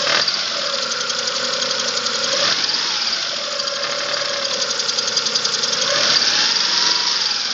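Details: 2005 Chevrolet Spark 0.8 (Matiz engine), cold idle in rain: fast light ticking, about three or four a second; owner suspects valves (not yet adjusted) or camshaft; timing belt and rollers replaced 5,000 km ago.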